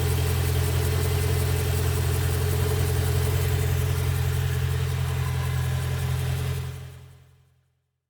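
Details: BMW M3 E92, November 2008 build, 88,000 km, mostly city driving, at idle: a crisp, even ticking about three per second on the exhaust note, often mistaken for conrod bearing noise; actually an exhaust manifold leak.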